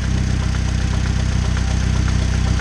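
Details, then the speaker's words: 2006 Chevy Cobalt LS 2.2 L, just started: fast, even knock through the idle, seeming to come from around the oil pan when heard from underneath; rod knock, worn connecting-rod bearing. "Sounds to me like it's coming from around the oil pan area."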